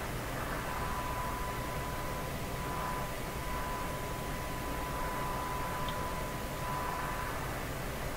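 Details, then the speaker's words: Canadian RCA Victor 5T5 radio during front-end alignment, tuned near 1600 kHz with the IF at 460 kHz: steady hiss across the range with a faint thin whistle; noise is being detected. "a noise signal in there and that noise is getting detected"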